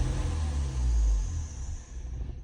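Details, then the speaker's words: 2012 Ford Fusion 2.5L, warmed up, no codes at first: engine chugs with a low uneven rumble and stalls as gas is fed in slowly toward 2,000 rpm instead of picking up; MAF suspected, throttle body, pedal sensor or fuel pressure also possible. "going to give it slowly give it gas slowly giving it more and more gas and then it dies"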